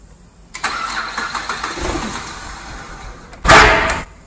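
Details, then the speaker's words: Ford FG Falcon ute with factory eGas LPG, starting rough: it cranks and stumbles unevenly, then gives a sharp loud backfire, a strong gas smell and a no-compression sound. It has happened three times and the cause is unknown: backfire on start, rough running. "can smell gas pretty bad so yeah basically we get a backfire and then it sounds like it's got no compression"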